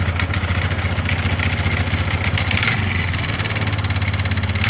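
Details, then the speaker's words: 2005 Polaris Sportsman 500 H.O. with terrible vibration and rattle, no forward or reverse: single-cylinder idle still rough with uneven rattling clatter; belt debris left in primary clutch suspected, not confirmed. "it's still kind of Rowdy but I think it's all in that primary yeah it's all in this here huh"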